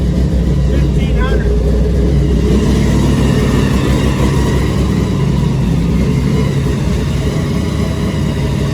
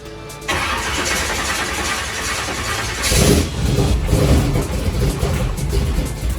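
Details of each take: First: Supercharged big-block V8 truck after Terminator X EFI conversion, restarted with a fresh tune and power cycle, good fuel pressure: deep steady idle around 1500 rpm with an even beat and one brief blip; running normally, much better than before. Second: Supercharged (blown) big-block V8 truck, first fire-up after carburetor-to-Terminator X EFI conversion, fuel pressure 58 psi: cranks and catches unevenly, rough and stumbling without a clean idle; hard start from an incorrect EFI tune, later re-tuned.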